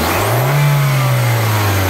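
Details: Hyundai Accent used as a known-good reference for a P0420 catalyst test, with a backpressure gauge that must stay under 1 psi. It makes a clean, steady full-throttle rev with an even drone and no pops or choking, so exhaust flow is normal.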